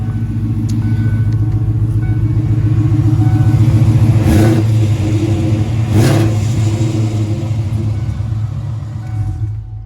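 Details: 1993 Foxbody LX, originally a 4-cylinder automatic, swapped to a Gen 2 Coyote V8 with a T56 Magnum and full exhaust through a chambered muffler: a deep, loud, lumpy burble at idle with light blips, running healthy.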